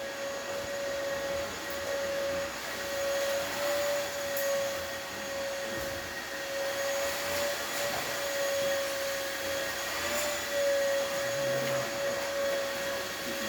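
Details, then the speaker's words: Gaggia espresso machine after tune-up and new valves, boiler heating up: a steady mid-pitched tone over a soft hiss as a little steam and water vent from the group head, which stops once up to pressure. Normal. "Now for this machine, it's going to shoot a little bit of steam coming out from the group head, and that is normal. The new valves, that's exactly how they work."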